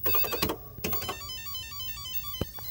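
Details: 1984 Dyna Electronics Royal Casino arcade game after replacing blown LM380N audio amplifier chip (power supply shorted to 110V) and swapping the blown speaker: clear beeping chimes and jingles without crackle or dropouts; sound working normally.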